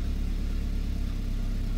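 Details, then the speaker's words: 2009 Chevy Malibu, over 209,000 miles, in low-power mode (owner suspects airflow sensor or other causes): deep steady idle, even rumble, no misses or surges; fault not audible at idle. "sounds killer just sitting"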